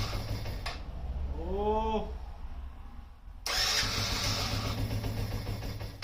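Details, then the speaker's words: Yamaha Raptor 50 quad, first start after repair, in neutral: engine catches, revs jump and hang high instead of settling; owner suspects a dirty, gummed carburetor or a lean mixture. "it seems to have a little bit too much fuel I reved it it kind of sticking so maybe either the carburetor is uh a little dirty and gummed up or um or it's running too uh is it too lean yeah because it's just kind of wanted to stick on the throttle"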